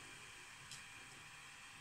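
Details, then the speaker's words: Ender 3 3D printer with BigTreeTech SKR Mini E3 board, power supply and mainboard fans in smart mode holding 30 °C, just starting a print with hotbed at 60 and nozzle at 200; only a faint steady fan whir, quiet normal operation. "I've just kicked off a print and I'm just blown away by the quietness"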